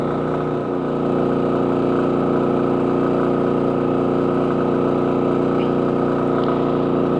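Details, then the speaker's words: Champion 4500 dual-fuel generator running the same roughly 2,700 W load as the WEN, heard from about 11–12 feet on concrete: steady, even drone at constant pitch, no knocks or surging; normal running under load. "Now this is running that same that I was running on the WEN generator, 2700 watts."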